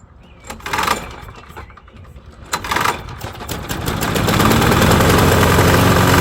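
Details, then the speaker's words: 2005 mower, primed three times; two pulls, engine catches with regular clatter and smokes badly at start; drive wheel gear clanks, stopping when foot pressed and returning on release; other wheel missing pin. "This one has the pin, washer, and the drive gear. So, that one works barely, but you'll hear it. It clanks, but then I'll put my foot on it, it will stop, and then I let go, it will happen again."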